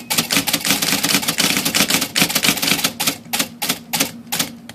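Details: IBM Selectric typewriter under power after leveling the latch trigger plate that caused self-triggered return, index and backspace: rapid fairly even clacking over low motor hum, no runaway repeats; works normally.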